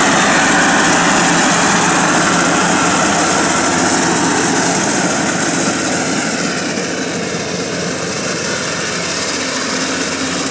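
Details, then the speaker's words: Cub Cadet tractor mower with blades engaged, cutting grass at high revs: harsh metal-on-metal rasp over the blade whirr. Worn deck spindle bearings; the mower also scrapes the grass and cuts low on one side. "cuando pongo las navajas a trabajar tiene un ruido metálico un ruido feo no un ruido fuerte como un metal con metal"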